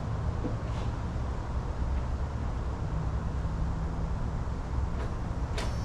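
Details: Jeep XJ with a 350 V8 swap, exhaust complete, and its dead cylinders fixed; steady, deep, even idle with no misfire stumble or gaps, running smoothly on all cylinders.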